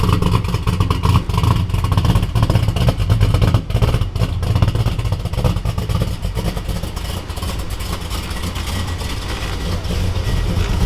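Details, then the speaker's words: Driftcat V8 on a cold day, idling at startup before unloading: deep rumble with a light rapid lifter tick on top, after the motor was hurt. "So let's listen to this lifter tick that sounds like a little elf is under there making toys."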